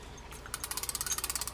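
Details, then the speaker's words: Vintage Shakespeare 2062 spinning reel during service. After rotating the spool under a quarter turn the chirp is gone, possibly sand or debris on the side wall. Now an even, quick ticking that turns freely. "sometimes interestingly enough i think you can hear it now it's gone away and all i did was rotate that spool maybe i don't know not even a quarter of a turn right"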